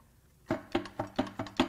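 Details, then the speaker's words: Ford Taurus SHO 3.5 EcoBoost V6 on teardown, spark plugs removed, crank turned by hand: six sharp hollow clunks about four a second as loose parts rattle inside the engine; loose internal debris, suspected from bolts not tightened. "it actually sounds like something wants out we'll go all the way over oh man stuff is loose in there"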